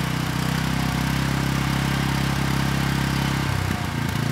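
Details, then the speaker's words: Briggs & Stratton Vanguard replacement engine on a Storm Responder generator (original threw a rod from no oil), on choke at low speed before the power head is fitted: steady, even thump with no knock; normal idle, started right up. "all right not too bad it started right up and the engine sounds good"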